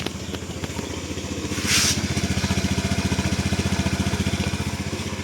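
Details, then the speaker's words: Honda Scoopy 2019 with aftermarket wheels, about 82,000 km on the odometer: steady, even putter at idle, around four pulses a second, no knocks or rattles; very smooth, healthy normal idle. "Lalu untuk kilometernya sendiri ini sekitar Rp82.000. Ini juga halus banget suaranya."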